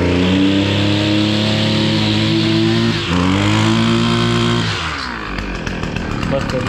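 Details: Husqvarna 553 RBX brushcutter two-stroke, previously non-running, after its blocked hole clogged by an insect nest was cleaned: clean steady pitch at speed, then smooth drop to idle without stumbling; runs freely.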